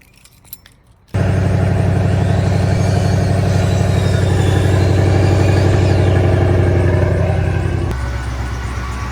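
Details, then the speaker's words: Shelby V8 on a cold start, not driven for a while: loud lumpy idle with a thin high accessory belt chirp over it; owner says the belt just chirps right now and has a replacement belt on hand. "you can probably hear the belt chirping it just does that right now especially since i haven't been moving it since i'm chirping"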